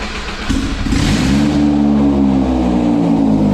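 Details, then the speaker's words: Engine first started after new injector O-rings, running with no headers or exhaust manifold fitted: a raw, loud, unmuffled rasp that climbs hard as it revs. "Wow no headers is really loud I kind of want to hear it run for a little longer"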